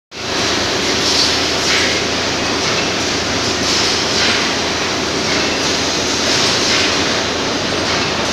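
Continuous hissing rumble with a faint rattly roll throughout, no clear knock pattern; vibration noise while the carriage travels down.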